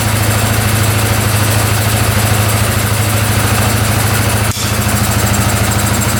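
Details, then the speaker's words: 2010 Polaris Sportsman 550 EFI ATV, running after cutting a clogged case breather line (owner suspects it was plugged): steady low thumping idle about three beats a second, drops back to idle after a rev, no misses; normal idle. "Come right back down to idle. Huh? Well, I think we fixed it. We're let this idle for a bit, but yeah, sounds pretty good."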